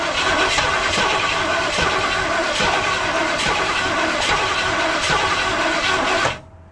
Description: If you're a fan of cranking that has a lot of sputtering, you'll LOVE this audio clip. The Mustang struggles to start but can't quite catch.